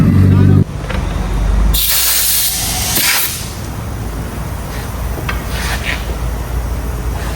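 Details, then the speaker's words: Built Mitsubishi Evo 8 idling during boost pressure test: sharp hissing bursts of escaping air; leaking fitting on one corner, believed to be the one to the turbo, plus leaks at the MAC valve and lines. "You got a few leaks. You hear it on this corner. That fitting is leaking. You can hear on the corner."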